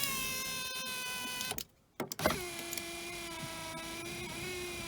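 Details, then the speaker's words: 2006 Audi A3 8P 2.0 TDI 140hp driver's power window after cleaning the switch connector, which had been making bad contact: steady, even motor hum as the glass travels, clean stop, then smooth run again; fixed and working properly. "donc c'était bien ça. J'avais la connexion qui faisait mauvais contact."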